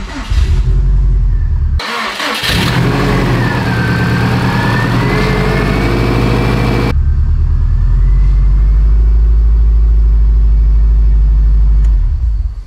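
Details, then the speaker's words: Freshly built Subaru STI hatch engine, first start with water instead of coolant: cranks briefly, catches cleanly, settles into steady low idle with no misses or knocks, reaching operating temperature fine; healthy new engine. "man oh man that is a good feeling she got up to operating temp just fine"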